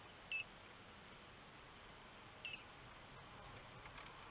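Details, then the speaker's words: Inverter on an old Optima Blue Top battery with a covered 100 W Windy Nation solar panel, running a TV, voltage dipping under 11.1 V: short high-pitched beeps about two seconds apart, low-voltage alarm. "if I turn my TV on again it'll it'll dip under eleven C 11.1 so there you go you can hear it beeping now so let's turn this off"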